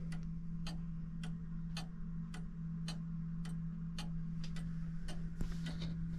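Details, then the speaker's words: Fusee clock movement back in its case after repair and rewiring the fusee: a steady, even tick about twice a second over a faint low hum; it runs properly but slightly slow, so the pendulum needs adjusting. "um the clock dance clock is uh running perfectly it's running a little bit slow so I have to adjust the pendulum but uh other than that it seems to be good"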